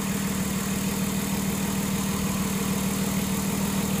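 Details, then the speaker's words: 2006 Ford Taurus 3.0L after fixing cylinder 5 misfire (P0305, P0316; dead cylinder with oil-covered spark plug, new plug fitted): smooth, steady, even idle with no stumble or skip, all cylinders firing cleanly, fuel trims good. "look at that smooth as butter so I hope you guys like this"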